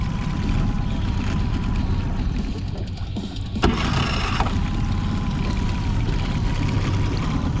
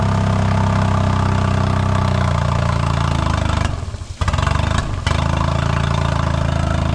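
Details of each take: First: 2008 Honda 20hp four-stroke tiller outboard, restored after seizure, mixture screw dialed in, on the water after an hour and a half: steady even drone, smooth firing, no misses or surging; restarts every time, healthy. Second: 2008 Honda 20hp four-stroke tiller outboard (electric start), first run after unseizing: steady running, then the note sags and nearly dies when throttle opens slowly before recovering; hesitation, carb needs cleaning, a boot leaking.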